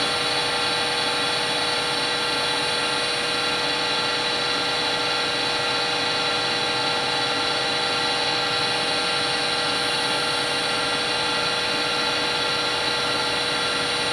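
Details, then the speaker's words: Harvey lathe after spindle bearing replacement, about 1600 rpm: smooth steady whir, no knocking or grinding; noise reading about 57 average versus roughly 64 recalled from before; bearings run quietly. "Okay, that's a lot less. It's 57 average and it was 64 if I'm not mistaken the first time."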